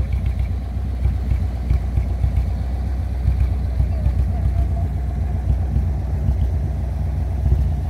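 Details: 1957 Ford Thunderbird V8 before repair, after sitting about 14 years and barely driven; deep, lumpy idle with uneven beats and no steady rhythm; running rough and misfiring before the ignition replacement and carburetor tune.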